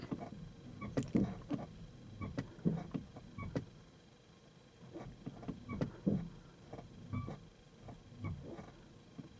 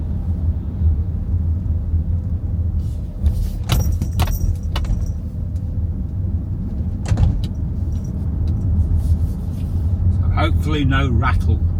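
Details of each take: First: Kia EV3 GT Line S after one year, in iPedal stop mode: quiet scattered creaks and ticks in short bursts, coinciding with the brake lights coming on and off; owner suspects the brake servo mechanism under the bonnet, not confirmed. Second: Kia EV3 GT Line S after one year, driven over speed bumps after spraying silicone lubricant on the tailgate lock mechanism: low road rumble and thumps, no tailgate rattle anymore.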